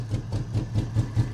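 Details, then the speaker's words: BMW 7 Series brought back after sitting: lumpy weak idle, heavy chuffs about five a second with dead gaps, barely running on one cylinder, later firing less; cause unconfirmed. "along that said it sounds like we're barely running on one cylinder right now we'll get there"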